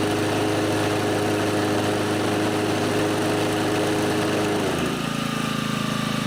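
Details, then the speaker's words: Honda HR215 mower, warm, runs smooth with no surging after its clogged carburetor slow (pilot) jet was unplugged, then settles to a new speed. "so it looks like that fixed it I knew there was a problem with the slow speed system because when I tried to run it at low rpms it was surging"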